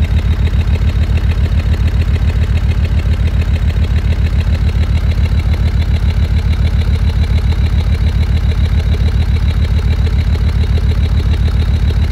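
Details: Land Rover Discovery 2 Td5 diesel, cold below operating temperature: idle shudders with a regular lumpy misfire near 3.5 per second that eases to normal idle, shorter as engine warms; owner suspects ECU-controlled fuel cut or cold protection.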